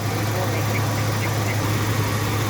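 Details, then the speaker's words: 1989 Ford Ranger XLT engine (donor for a 1987 Bronco II 2.9L swap), first start after sitting since January 2017: even, steady low idle drone with no lope or misses, a slight tap that quiets as it runs; normal idle. ">> Yeah, it's a good engine."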